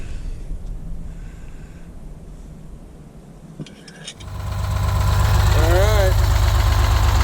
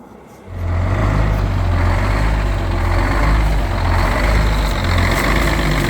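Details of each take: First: 1971 GMC 9500 with Detroit Diesel 6-71 two-stroke, after tune-up, started after 26 years: catches after about four seconds, then steady even idle with no knocks or misses; normal idle. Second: 1971 GMC 9500 with Detroit Diesel 6-71 two-stroke, recently revived after 26 years sitting: deep diesel idle swelling and sagging in a slow uneven lope, caused by the wrong idle return spring fitted.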